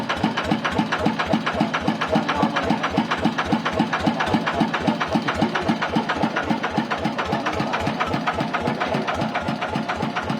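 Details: Motorcycle (TF115 upgraded to 150) idling with a steady, sharp tick about four times a second from excessive valve clearance; valves to be adjusted with the engine cold.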